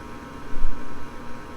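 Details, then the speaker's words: Furnace, ignitor glowing until hot enough for the safety to release gas: steady low hum, then a soft short whoosh as the gas catches and settles into an even burn; the flame sensor holds the burner on, normal ignition. "there it goes so you can see it's fired up and you can see the flame sensor right there so if the flame sensor was having a problem it would then turn right back off but it's working fine"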